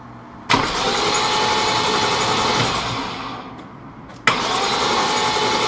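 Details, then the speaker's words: BMW E34 M5 S38B36 after timing chain replacement, dry crank with spark plugs out and crank sensor unplugged to build oil pressure: even brisk starter churning near four turns a second, no catch or knock; normal. "this is a dry run and the idea is you want to crank that motor over 10 20 30 seconds and what that does is that Bilt oil pressure throughout the whole timing system"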